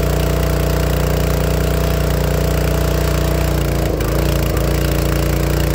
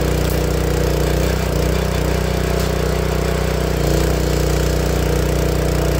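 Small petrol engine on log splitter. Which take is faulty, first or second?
first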